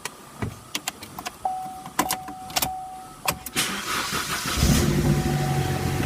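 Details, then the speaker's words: 2012 Chevrolet Sonic, 100,618 miles, after valve cover and PCV replacement for an oil leak: clicks and clunks, then it catches and settles into a smooth, quiet, even idle with no ticking; normal idle. "all right so now we have the pretty silky smooth idol"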